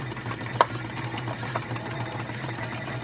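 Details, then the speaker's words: Vintage 1956 RCA 7-TR-2 reel-to-reel tape recorder from a thrift store: low steady motor hum with sewing-machine-like chatter and an odd click. Mechanism seems gummed up and may need lubrication; motor struggling, not quite getting there. "You can hear the motor's humming, which means it's struggling and it's not quite getting there."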